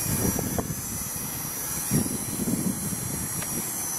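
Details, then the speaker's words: Blade Nano CPX with a brushless motor kit, on a new Charsoon 3.7 V 250 mAh 1S 30C/60C LiPo replacing 150 mAh packs that hit low-voltage cutoff: a steady high rotor whine holds full speed through hard punch-outs, kicking the tail out; normal full power. "oh and this has got plenty of power it's actually kicking the tail out when I do a hard punch out"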